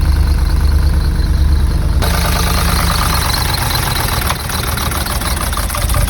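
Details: Cheap, heavily oil-leaking UK V8 as found at viewing: a heavy, deep idle lumping unevenly at about three beats per second, never smoothing out; the buyer and a mechanic suspect the engine skipped timing.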